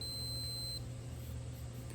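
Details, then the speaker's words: 1990 Yamaha 150 ETLD two-stroke outboard oil level sensor (6R3-85730-00-00), bench continuity test: short high beep as the float drops, pump-on switch closing properly; the pump-off switch later proved faulty. "It turns the pump on, and then as this float rises back up to the top, that signal right there on the switch number 3 should tell the pump to quit pumping. So you see that one works."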